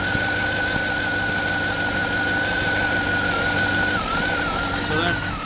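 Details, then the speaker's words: 2007–2014 GMC Yukon 6.2L at idle, purge valve port open, microphone close: thin constant whistle of air drawn in where there should be no vacuum; purge valve stuck open, replaced with new ACDelco valve. "It's definitely got suction, so that valve is bad. It's definitely vacuuming. So there should be no vacuum on it right now."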